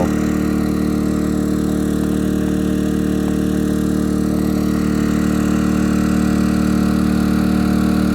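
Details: Yamaha EF2000is 2 kW generator, below zero outdoors, powering a whole 3-bed house plus garage lighting: even, steady low drone with no misses, knocks or surging; normal, healthy running under load.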